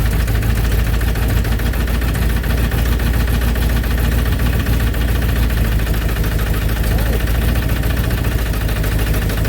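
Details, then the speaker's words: 1965 Ford Thunderbird mid-rebuild, timing just advanced: deep uneven idle with raspy chuffing under the rumble, about three or four puffs a second; owner says a giant exhaust leak worsens the sound. "You know, that giant exhaust leak ain't helping the way the way it sounds."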